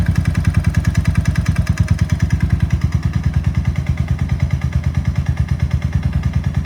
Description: Video records audible knocking sound as a result of a seizure. Motorcycle was operating at approx 4500 rpm going up a 6% grade into a heavy head wind.